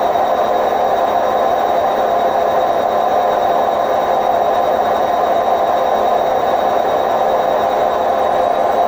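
Steady, heavy roar through the spin, like a passing train, with no rhythm; typical of worn drum bearings on a washer.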